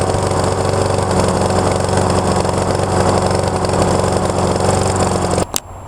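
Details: Neighbor's Honda HRX217 (possibly 270) lawn mower, about 6.5 hp, reported to start, run a second and shut off; after auto-choke work, restarted to warm up. Single cylinder chugs evenly about five seconds, then cuts off; judged running kind of okay.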